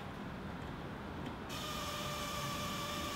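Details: Classic Porsche 911 build, wiring sort-out: thin, high, steady electrical buzz starts abruptly as a fuse is connected, holding even over quiet hiss; traced to that fuse's circuit, a current draw not getting through, source still unknown.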